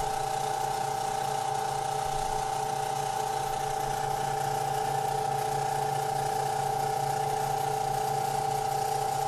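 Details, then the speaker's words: Harbor Freight 14-inch woodworking band saw running with a new Accu-Link belt (two links removed), guards and covers open: a steady, even hum with a constant tone, quieter than before, with no thumping or wobble. "so here it is running with the new belt and i don't know if you can hear it it is quieter all the guards are open covers are open but that's what it looks like running"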